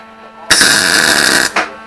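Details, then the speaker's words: ATV flail mower build, MIG welding after the shielding gas was turned on; about a second of even, steady crackling sizzle, no popping or spitting; normal clean MIG weld with gas. "That sounds better, doesn't it? We'll pull that one off and regrind it."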